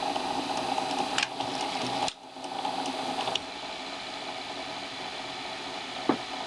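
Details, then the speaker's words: circa 1982 Panasonic NV366 top-loading VHS recorder loading a tape: motor whirs with a laboring, uneven buzz, capstan spins but lacks force for final engagement, belt visibly flapping; worn drive belt needs replacing, the original cause of not loading. "See, that's struggling. It's just that capstan's spinning now and it's playing, but it's that final little bit just to engage it, that last little bit of force that it needs. It's not got enough."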